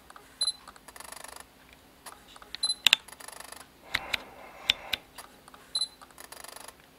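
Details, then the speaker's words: Sigma MC-11 adapter on a Sony a7R II with wide focus area, in a quiet room: faint high clicks and short buzzy chatter bursts after each focus lock. Jittery focus-mechanism noise; owner suspects the focus mechanism, not confirmed. "so after it locks on focus there's a sort of a a jittery sound some sort of mechanism"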